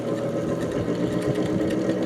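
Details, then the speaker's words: 1949 GE Vortalex 12-inch desk fan before repair, motor worn, on third speed: steady hum with a rapid rhythmic wobble and buzz as the blade runs badly out of balance; owner suspects a bent shaft. "boy. Really off balance. Um Oh, Looks like it might even have a bent shaft."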